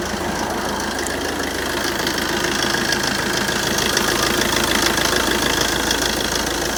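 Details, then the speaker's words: Fiat Doblo Cargo diesel van, 140-something thousand miles, cold-start idle on a chilly day during a pre-MOT check: steady, even diesel clatter about three knocks a second over a rough idle; owner thinks it sounds bad, possibly due to the cold. "It's a bit clattery, but it is an old diesel and it's covered 140-something thousand miles."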